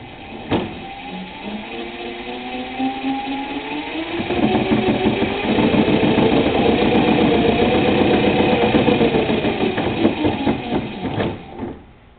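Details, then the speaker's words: Electric kart, brushless Etek motor with Sevcon Millipak controller, wheels-up test: motor whine climbs in pitch with rapid uneven stutter about four pulses a second; commutation stutter at certain speeds, suspected controller or hall sensor fault. "not sure what seems to be having some commutation issues with him what now put it on the ground and try it of course clearly I think it's doing six-step commutation you can you can hear it"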